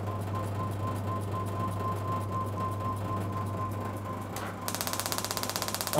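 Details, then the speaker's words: Electronic ignition upgrade kit on a classic-car distributor test bench, 12 kV reading: a loud, even crackle of sharp snaps at about eleven per second as a strong spark jumps a 25 mm gap from the back of the test unit to the machine. "it's jumping out the back of the test unit to the back of the machine you can probably see there so with that unit our gap is a whopping 25 millimeters"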